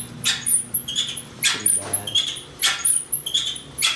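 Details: GE dryer: high chirping squeaks about once a second as the drum turns, from worn, cracked top drum slides/glides and felt; fixed with new slide mount kit.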